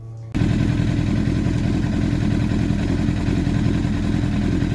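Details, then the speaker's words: 2004 Honda CBR1000RR that kept dying at 62 °C, after repairing the IAC idle control valve: a fast even burble holding steady at idle without hunting. Idle is now normal; the owner thinks it may now be overfueling. "Success! Managed to fix the idle problem. Idle problem is resolved, thank goodness."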